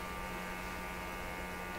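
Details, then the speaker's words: Sweep generator set to sweep the band every 10 milliseconds, heard on an RTL-SDR receiver during radio coil testing; steady electrical buzz, fixed pitch, no dropouts; normal sweep generator signal. "And I'm sure that buzz is the sweep generator sweeping."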